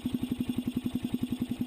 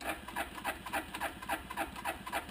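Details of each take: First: 1988 Suzuki Quadrunner 300, cold weather around freezing, hard cold starting, choke repaired, no air cleaner fitted yet: even steady single-cylinder thump about eleven beats a second; choke working, normal idle. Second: 1988 Suzuki Quadrunner 300, cold at around 20s–30s °F, choke on: steady cranking about three and a half strokes a second, never firing; hard cold start, choke suspected not working since it doesn't change engine pitch, cable unhooked at carb.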